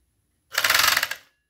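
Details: Chinese FN2-7D overlock sewing machine sewing fabric: short bursts of harsh rapid clattering, about a dozen sharp raps per second, very loud mechanical knocking; cause unknown.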